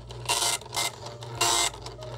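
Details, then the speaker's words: 1976 SWTPC PR-40 printer driven by SWTPC 6800 computer via parallel card, plastic ribbon fitted: crisp rasping print bursts with short pauses between lines, smooth, no binding; printing normally, though ribbon spools need finger help to advance. "yes yes that's what i was looking for look at that it's actually working"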